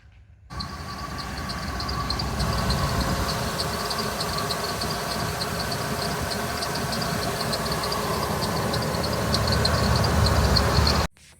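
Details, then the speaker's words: 1997 Ford Econoline E-150 van, 5.4L 2-valve V8 idling: a sharp rhythmic chirping squeak about four a second from the serpentine belt despite new belt, pulleys and checked alignment; pulley deposits suspected. "So, you have a squeaky belt. What are you going to do about it?"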